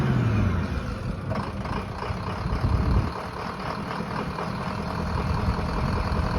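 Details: 2004 engine with no power on take-off, during fuel pressure test: low uneven rumble with an irregular, lumpy beat and no steady rhythm; engine idling rough.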